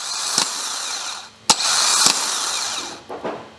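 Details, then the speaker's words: Mazda MX-5 MK3/3.5 NC, replacement starter motor tested after the old one sounded weak and noisy: sharp engagement clicks, then a high, even whir that spins up quickly with stronger engagement; healthy starter motor. "It's a lot quicker, and you just feel it. It's a lot stronger engagement as well."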